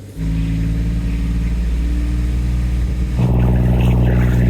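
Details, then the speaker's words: Sailboat diesel, warmed up after the faulty raw water pump was replaced, revved in steps to 1500, 2000 and 2500 RPM with no leaks found: a smooth even drone rising in pitch with no knocks. It is working great now. "I think we're good. It looks like it's working great now."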